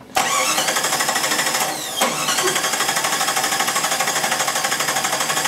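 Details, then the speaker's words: 1997 Jeep 4.0L cranked with the ASD relay removed to simulate a no-start while testing the distributor cam sensor signal. An even rhythmic cranking beat that never catches. "we're going to simulate a no start and uh go ahead and crank it"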